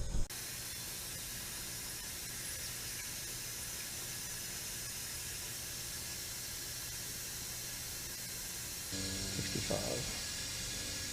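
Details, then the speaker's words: 1980 Camaro rebuilt 5.7 350 SBC that began pouring oil, leak-down test at 100 PSI, engine off: steady even hiss of escaping air from this cylinder, the worst one; engine rebuild planned. "horrible so that's my cylinder that's bad that's the one"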